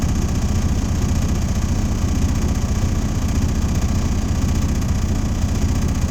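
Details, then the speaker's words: Diesel truck held at fast idle during an air brake pre-trip test. Steady, even drone with no knocks or surging as the compressor builds air toward governor cutout. Normal. "What I normally do, when I tell the participants to do, roll their windows down and just listen for the air dryer to let me know where my governor cutout is."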